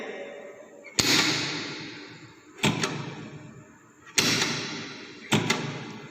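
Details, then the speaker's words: DOL starter for a single-phase induction motor load test, green button pressed: a sharp clunk each time the contactor coil energizes, four clean hits about a second or more apart; normal contactor pull-in. "The coil inside will get energized. Can you observe the sound?"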